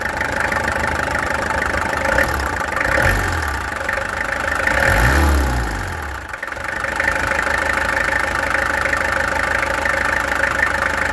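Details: Peugeot XD2 diesel after the injectors were removed, tested and adjusted (set to about 115): idle clatter rises with a short rev and settles back, fairly even with no obvious misfire. Sounds better, performance unknown. Normal diesel idle.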